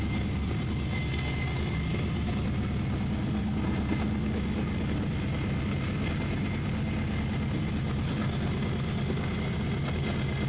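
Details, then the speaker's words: Freshly assembled engine in a shop build, aiming for about 800 hp: deep, steady rumble with an even low beat and no knocks or ticks; sounds good, runs good, normal healthy running. "Not too bad. Sounds good, runs good. Should be pretty spicy when it's done."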